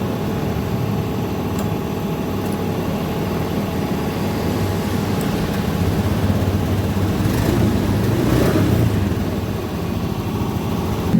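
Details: Honda Beat Street scooter that was bogging and losing power, fuel pump pressure previously only 30 PSI, now set to about 40 PSI: engine runs steadily with a low even hum and a brief clean rev, no stumble or bog.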